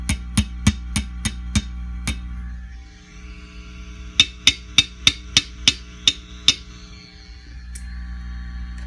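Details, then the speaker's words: Fender Custom Shop '57 Twin tube amp, harsh when overdriven: light taps on a preamp tube come through as sharp ringing clanks over steady hum, microphonic preamp tube; two preamp tubes found bad. "and now it's picking up the sound of one of my neighbors um it's a microphonic tube or I should say tubes these two are bad"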